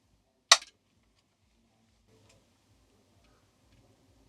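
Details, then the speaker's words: Homemade soft-start circuit for a 1 kVA isolation transformer (NTC thermistor with RC-delayed relay bypass); a single sharp relay click right after switch-on; the intended 1-second delay isn't happening, relay pulls in too fast. "So, I'm going to switch off and switch back on and see if we can hear the relay switch. Yep. Happens quite quickly. That's not 1 second."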